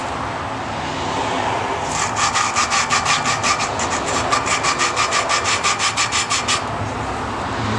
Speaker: if you listen you can hear the the grittiness of the valve grinding compound it starts to smooth out after a few twists but you raise it and then it gets rough again